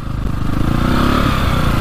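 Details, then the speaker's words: 2002 KTM 450 dirt bike, warmed up, riding trail and road: sporadic, stumbling exhaust that bogs and only occasionally opens up, down on power and running rough; cause unknown. "this thing is just like so sporadic really does not sound good"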